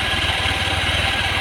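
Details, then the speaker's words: Honda Vario 110 carburetor with lost ignition, after swapping in a Karisma/Supra X125 CDI: steady even idle with regular low pulse, no hunting up and down; idle now smoother than before. "jadi sudah lebih halus ya stasionernya ya nggak ginjal gitu ya"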